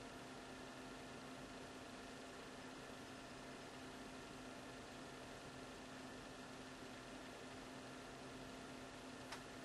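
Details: Laptop running Ubuntu 12.04 makes a quiet, steady whir with a fixed high whine and one faint click partway through; source unexplained.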